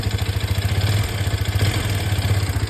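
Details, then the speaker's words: Hero Xpulse 210 single-cylinder, with 35 km covered, idling with an uneven, clattery low thump and a rough mechanical noise that began mid-ride. Abnormal engine noise; the cause is not identified. "उसका engine sound कैसा आ रहा है। बहुत सा गंदा सा sound आ रहा है।"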